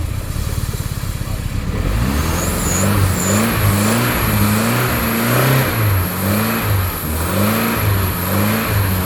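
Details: Porsche 924 that sat about 30 years, non-interference engine, run briefly on brake cleaner with the timing possibly a tooth out: the engine catches and runs raggedly, revs rising and falling unevenly. Rough running; cause not confirmed.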